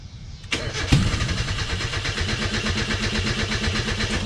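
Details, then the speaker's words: 1995 Mazda Miata no-start, engine with valve cover off and little oil: steady cranking about five pulses a second, one brief cough, never runs; fans stopped, owner suspects a loose connection or short in the wiring. "it wanted to start and the fans stopped working that connection's not it's not on right so that might be the issue"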